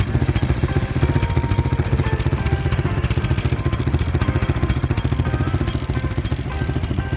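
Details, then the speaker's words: Honda Wave 125 S motorcycle, starting by kick start only. The small single thumps at about 3.5 beats a second with a loose, clattery buzz over it, from the unbracketed muffler rattling. "as you can see the glitch doesn't work and you can hear some rattling noises"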